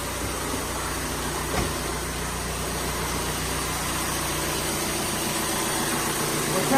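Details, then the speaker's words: 2017 VW Transporter T6 diesel at idle, as it came in, with fumes entering the cabin: a steady airy hiss over the even low rumble from an exhaust gas leak blowing soot at the rear of the engine. The hiss is also heard while driving. "so if you listen, you can hear a hissing coming from it, which you can also hear when you're driving."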